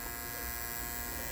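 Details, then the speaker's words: Andis Master cordless hair clipper after a noise fix and fresh oiling: steady, even motor buzz at constant pitch with no rattle or ticking, growing quieter with oil; normal running. "But now it should cut hair really strong, smooth. It's a nice everything. There you go. It's getting quieter. Just oil."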